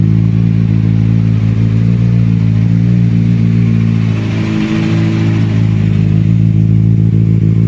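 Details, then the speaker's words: 2007 Kawasaki Ninja ZX6R, previously running on three cylinders with power loss, just started (hard to start) after new coil pack: deep, even four-cylinder drone, brief dip and recovery, smooth and regular; normal running. "Alright, here's my start with the new coil pack. So I had a difficult time to start it. It finally started."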